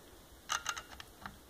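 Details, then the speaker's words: Hartman A700A0-6 aircraft reverse current relay on bench test, voltage applied to switch terminal with no load on battery side: a handful of light, sharp ticks under a second, slight pull-in click, no contact closure; normal relay click. "we have to apply voltage over to the switch terminal and it'll be quiet so you can hear the click very slight clicking sound"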